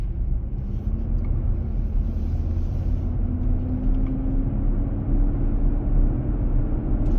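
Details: 2023 Nissan Armada, 4k+ miles, driving around 40 mph in hot weather: heavy low roar from the engaged fan clutch (dealer-confirmed), happening almost daily but not always; noise fades by 45 mph and returns when stopping and accelerating.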